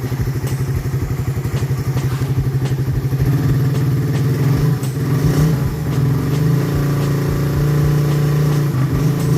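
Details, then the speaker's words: Raider 150 motorcycle at 139,877 odometer after an engine refresh: a steady low thrum with a quick even beat and some revving, no knocks or rattles. Quiet and healthy. "Ito na yung nirefresh natin. Goods na to, tahimik na to."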